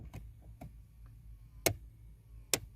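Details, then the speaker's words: Hyundai Tucson, owner believes 2.4 four-cylinder, HVAC stuck on defrost: sharp irregular clicks from mode door actuator behind steering column as it binds and fails to move the mode door. "so this little guy right there is the mode or and it's just clicking it's on defrost right now"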